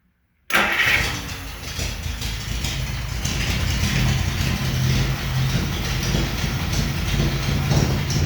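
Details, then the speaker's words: 1950 Plymouth 230 straight-six with split manifold and straight pipes, early start: fast, slightly uneven idle, set high, since the twin carbs are not yet balanced and the linkage not dialed in; idle was turned down from screeching. "so other than turning the idle down a little bit because she was a screeching I haven't dialed those carbs in yet and they're way out so I gotta balance them and get the linkage dialed in and all that fun stuff"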